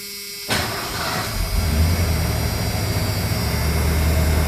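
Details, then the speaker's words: 1988 Ford F250, 5.8 L (351) V8 that had sat two years and was missing, after injector service: catches after a short crank and settles into a deep, slightly lumpy but steady rumble, much snappier; normal idle. "pretty good wouldn't say it's smooth as glass way way better way more Snappy"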